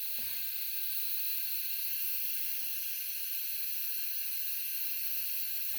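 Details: Central heating radiator bleed valve opened after refilling and priming the system following back-boiler removal: steady sharp hiss with no rhythm as air or spitting water escapes; air may still remain in the system.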